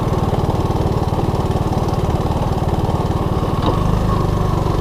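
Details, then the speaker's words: 1983 Honda ATC185S three-wheeler, first ride after repairs: choppy single-cylinder putter around three beats per second, then a hard clunking gear change. Gear banging from a misadjusted shift clutch; chain also sounds loose. "yeah you gotta adjust that clutch before i ride this anymore if you run them as a gearbanger like it's doing it's only a matter of time before you uh ruin the transmission"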